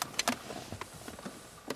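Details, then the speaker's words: 2011 Audi A4 3.0 V6 electric parking brake test via scan tool: short motor whirs and clicks as rear actuators apply and stop, quieter than before; working normally. "Hein? Il fait pas le même bruit que d'habitude déjà. Ah bon? Il fait moins de bruit."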